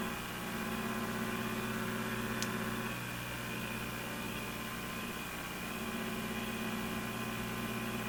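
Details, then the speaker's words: Brand and Millen DR-102U tube radio, after final alignment, tuned to 600 on the dial: steady hiss with low hum and faint buzz; outside noise is strong, cause unconfirmed, to be overpowered with a signal generator. "I think that's right on 600 there unfortunately there's quite a bit of noise but uh we can probably overpower it with the signal generator"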